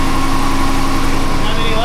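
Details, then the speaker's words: First start after repair with a plastic engine oil cooler: steady, even idle with a smooth low hum and no ticks or knocks; engine runs well, no leaks. "This is our first start. Ah, gorgeous. She runs. I love it. No leaks."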